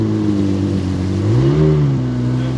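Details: 1995 Sea-Doo SP jet ski that ran at low RPM but stalled at high RPM, a suspected carburetor/fuel pump problem, carb rebuild kit still coming: steady two-stroke drone with one brief rev blip that falls back cleanly. Engine running.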